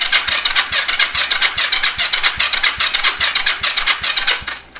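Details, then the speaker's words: Yamaha XS400 project bike, compression test on the other side; slow, even cranking about two and a half strokes a second with a labouring whir, starter getting sluggish; owner considers swapping to a better-charged battery. "This one sounds like it's getting a little sluggish."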